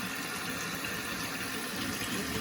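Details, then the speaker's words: Toilet after flapper and/or fill valve replacement to cure phantom flushing: steady, even hiss of the tank refilling after a flush, quieter than before with no whistling or hammering. This is a normal refill. "Do you hear that? You don't. The phantom flushing is fixed."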